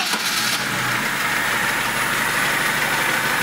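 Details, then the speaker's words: Lada Niva 21213 carbureted, cold engine, after ignition repair including a new ignition module; catches almost immediately, no pedal pressed, settling into a steady, even run with no misses or clicking; healthy cold start. "по идее с полкинка все равно нормально заводится"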